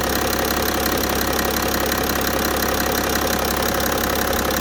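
Diesel at idle with a steady, fairly regular knock near three beats a second over the usual clatter; source undetermined.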